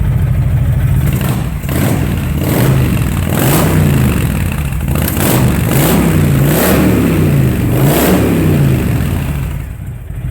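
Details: 2005 Honda VTX with Cobra slip-ons, upgraded air intake and rejetted carb (DJ200 main jet, needle slot 4), warm: deep V-twin lope rises and falls cleanly with each throttle blip, crisp return to idle, no stumble or popping; normal revving.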